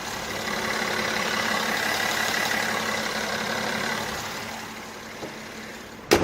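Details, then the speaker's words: 2015 Mercedes-Benz E-Class, 110,000 km, recorded with bonnet open at idle: even smooth hum with no ticks, knocks or rattles, then a single clunk at the end; healthy engine. "네 진짜 엔진 잡소리 하나 없이 정말 부드럽고 정숙한 모습까지 보여주고 있었는데요"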